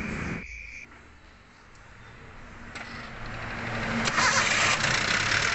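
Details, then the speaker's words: 2010 Toyota Avanza with a history of severe overheating, engine idling: rough, harsh idle with a raspy metallic clatter, worse when revved; suspected piston slap, loose pistons or worn rings; overhaul recommended. "Akhirnya itu analisa dari kami, pistonnya itu ngeflek ya. Piston ngeflek, kalau nggak gitu pistonnya oblak, ring pistonnya aus."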